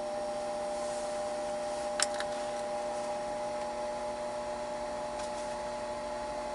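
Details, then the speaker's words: Furnace booster circulator pump (Bell & Gossett LR20BF) right after oiling with motor oil (SAE 5W30 / Mobil 1), roughly five years overdue: quiet, even hum with faint clicks, low-frequency humming largely gone, some remains. "all right here we go wow huge huge difference immediately"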